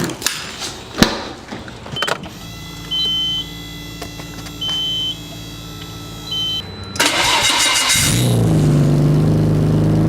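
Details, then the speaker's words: R32 (catalytic converter refitted over straight pipe, old gaskets reused) fires into a raspy puffing idle; a bad exhaust leak comes from under the transmission tunnel where the cat joins the exhaust. "basically all the sounds coming from underneath the transmission tunnel we're in the cat connects to the rest of the exhaust oh yeah that's my dilemma it's nasty exhaust weeks it's really bad"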